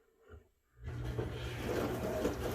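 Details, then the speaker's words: Four-year-old Amana dishwasher after repairing the water inlet solenoid valve wire chewed by mice, which had made it run dry: pump kicks in and settles into a steady, even whoosh of water jets spraying inside; normal wash cycle. "you can actually hear the water jets spinning around inside and it is now running like a top again"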